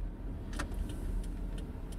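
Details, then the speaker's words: HTC RE camera in a windshield suction mount while driving: light, irregular ticking rattle over road rumble. Something loose inside the camera vibrates; tapping it reproduces the noise. "there appears to be something inside the re itself that's vibrating and making a little bit of noise"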